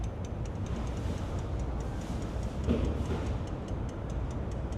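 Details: 2006 Dodge RAM 3500 with 5.9 diesel, key on, engine off, relay reconnected: quick, even ticking about five times a second; relay and pump quantity valve chattering from loose fuse box connections.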